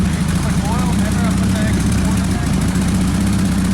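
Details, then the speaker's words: Porsche 911 Turbo being rebuilt after a wreck: uneven, lumpy low exhaust note with a stumbling beat at steady idle, sounding like a misfire on a cylinder; cause not confirmed. "sounds like it's misfiring"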